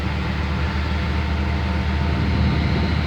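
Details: 1971 Chevy C10 truck started cold on a weak, failing battery, warming up: low, steady rumble with even beat, no ticking or stumbling; idling smoothly, normal idle.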